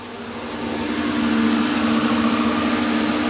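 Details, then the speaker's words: 1985 Merkur XR4Ti after upper intake reassembly; the radiator cooling fan switches on with the engine running (no AC belt fitted); steady whooshing rush with a low hum over the running engine; fan running normally. "well that's cool I had the fan turn on let me get this thing started a second"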